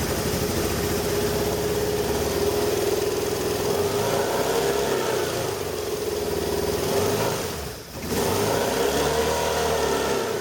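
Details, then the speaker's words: 1989 Hoverstar 2+2 hovercraft with BMW engine conversion, first start in the hull after redoing front engine mount; even steady idle with one brief dip, no knocks or misses. "oh heck yeah that's what I'm talking about that didn't sound bad at all"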